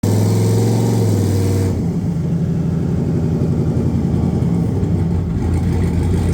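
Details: VS Racing 78/75 billet next-gen 2.5 turbo setup, after the crossover pipe exhaust leak was fixed. A deep, steady engine note settles smoothly after a rev, with no ticking or puffing from the exhaust side; it runs clean.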